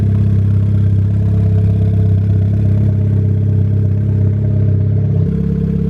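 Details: Built MK6 Golf R idling just after fitting a new lightweight 15 lb AGM battery: steady, even low idle with a smooth rumble and no misses or knocks. The engine runs healthy.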